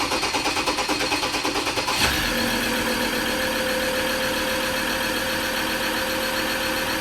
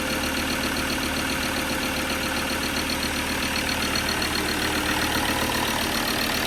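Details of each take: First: Recently bought Ford Ranger diesel with leaking injectors, missing injector washer, loose bolts and badly blocked EGR valve: chugs roughly a few beats, catches into a loud idle with a sharp hiss underneath; exhaust leaking at the EGR pipe joint. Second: Ford Ranger diesel at idle after refitting a badly blocked, blowing EGR valve with new bolts and gaskets; loud but even diesel clatter, no hiss of escaping gas as before, engine running normally.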